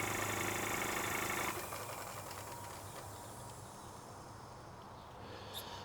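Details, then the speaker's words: Live steam 16mm-scale model locomotive 'Russell' run on compressed air before first coal firing, air pumped into the boiler: quick, even chuffing about four beats a second with airy hiss, easing off; runs smoothly. "pump it up and hey Presto pumps into the boiler and the wheels go around"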